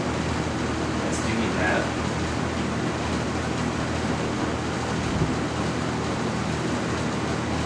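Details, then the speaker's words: Lakewood C122 16-inch box fan, believed mid-1980s, not known if recently oiled, on its lower speeds; the owner heard an unidentified noise on high. Steady airy whoosh over a low even drone, no rattle or knock; low is quiet, running smoothly. "and it does still have a pretty nice quiet low it's not as quiet as the mcmillan's on 20 inches from this time or a little bit later work"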